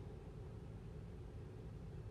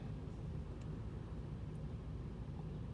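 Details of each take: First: 2008 Toyota Tundra 5.7L V8, towed in for stalling at hot idle at stops with no codes, after cleaning carbon-fouled throttle body: low, even idle with no misses, stumbles or hunting; MAF about 5.8 g/s, steady throttle motor current; fixed. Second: 2008 Toyota Tundra 5.7L V8, stalls at stop lights at hot idle, no codes: low, uneven, lumpy sagging idle, rpm way too low, must feather throttle to avoid stalling; cause carbon-fouled throttle body, before cleaning.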